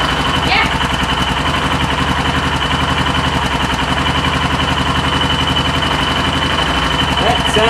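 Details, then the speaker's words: 2004 Yamaha Kodiak 400 after top-end rebuild, warm, exhaust and intake valve lash just tightened slightly after sounding slappy: steady single-cylinder putt, about 220 beats a minute, no tapping. Clean, even idle. "intake was a little much as well so I tighten it up just a smidge that sounds good"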